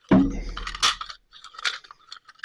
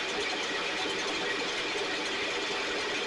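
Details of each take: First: STIHL 6R 450 backpack blower, engine runs: repeated recoil pulls give quick rattling clicks and rope whir with no engine catch, as the recoil pawl and spring inside the starter are not grabbing each other (spring slipping). Recoil starter not engaging. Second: STIHL backpack blower (believed 6R450), after cleaning and repair; idle previously fluctuated up and down and couldn't be adjusted. Steady high-pitched blower roar at even speed, no surging or dropouts, maybe slightly rich; running much better but still loading up a little, internal carbon buildup suspected.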